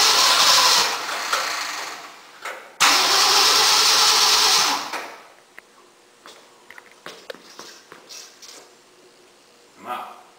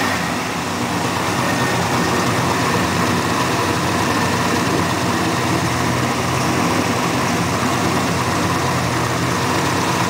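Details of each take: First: 1965 Mercury engine in a no-start-to-start project catches with a loud roar for a couple of seconds, dies, fires briefly again, then stops; it wants lots of fuel and won't keep running on its own. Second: 1965 Mercury whose engine was once seized, fuel hand-poured because the fuel pump isn't working: a loud, steady V8 rumble holding even with no misses or knocks, smoking slightly out the back. Normal smooth idle.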